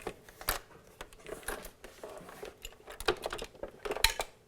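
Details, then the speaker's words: 1986 Panasonic RX-FD80 boombox being moved: uneven light clicks and ticks about once a second from a loose part rattling inside; doesn't seem to affect operation. "yeah you can kind of hear like a part moving around inside of the unit um doesn't seem to really affect its operation"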